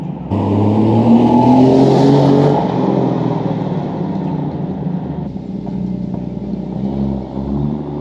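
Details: Jeep YJ rock crawler buggy, 4.0L straight six, new custom stainless side-exit exhaust wrapped in DEI exhaust wrap: deep even note rises smoothly with a rev, settles to steady burble; normal exhaust note.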